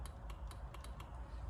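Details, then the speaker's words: Honda Accord Type S wagon, ignition on, window switch pressed: faint sharp clicks, about five in under two seconds, window not moving; passenger switch also dead, owner suspects fuse or relay, cause unknown. "So if ignition on, and nothing, all you can hear is the switch clicking."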